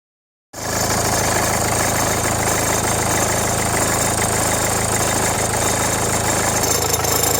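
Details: Renault Megane 1.5 dCi diesel at idle with radio, rear window heater and blower on: fast, uneven light rattle over the clatter; belt and tensioner already replaced, noise stops with AC on; owner suspects alternator or AC compressor.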